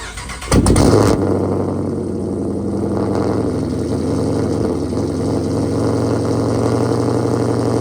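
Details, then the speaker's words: Challenger Shaker at 45,280 miles, cold start before a radiator flush: the starter cranks, then the engine catches with a loud flare and settles into a steady, even, deep idle. A healthy cold start. "give you a nice little cold start there to do a little introdu uction haven't heard one of those in a minute"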